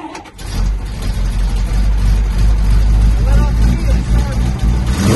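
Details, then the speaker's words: 1970 Dodge D500 dump truck, single-barrel carb, started after 5 years parked with new fuel line and filters: short crank, catches into deep even rumble picking up cleanly with throttle; normal start and run. "start accelerator pump and everything still works let's see if it charges all be damn"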